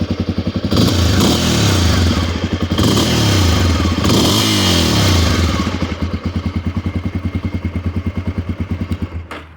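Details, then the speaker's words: 1988 Honda NX 250 (Dominator) dual sport, two owners, on a cold start. It starts right up with no issues and settles into an even single-cylinder thumping idle with no knocks or misses. It runs strong and healthy. "like I said runs real strong guys these engines are bulletproof"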